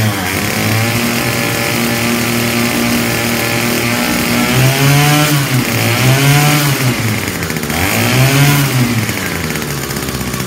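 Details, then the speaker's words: 2019 Hyper Tough H2520 25cc straight-shaft two-stroke trimmer, first start after sitting three years with fuel in the tank: revs up and sags unevenly with a raspy, ragged buzz; rough running, cause unclear. "sounds terrible what's going on must just be the nature of the you know they just put a little I don't know if there's a gear in there and how they do it but it's cheap"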